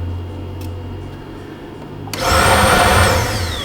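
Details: 2008 Buick Lucerne 3.8 V6, code P0412 for the AIR solenoid switching valve circuit; a loud electric whir with a high whine switches on, holds steady, then tapers off. Normal secondary air pump operation.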